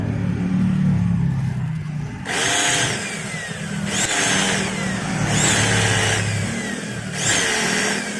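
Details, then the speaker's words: Maktec MT90 grinder motor spun in short bursts with the worn upper pinion gear removed, still a harsh gritty whine, like armature rubbing the stator, with altered vibration: a loose, worn upper armature bearing. "Nah suaranya masih terdengar kasar dan seperti gesekan juga ya antara armatur dengan gulungan stator dan ini terasa getarannya juga berbeda"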